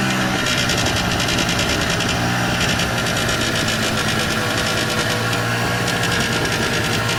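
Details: 1994 Polaris Xplorer 300 4x4 after top-end rebuild: raspy buzz riding the engine note at certain RPM ranges and on decel, with or without primary clutch, driving or stationary; nothing obviously rubbing; source unclear.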